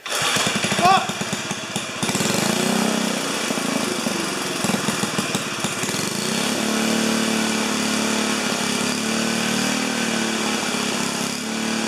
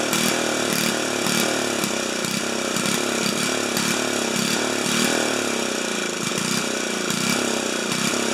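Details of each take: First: 4HP horizontal Briggs single-cylinder, first start, muffler screwed in temporarily: loud frantic high-pitched revving that never settles; runaway overspeed because governor wasn't connected to the throttle arm. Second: 4HP horizontal-shaft Briggs single, just after muffler was screwed in at 45 degrees because both studs broke; pops along briskly, surging gently about twice a second, sounds better and healthy; normal running.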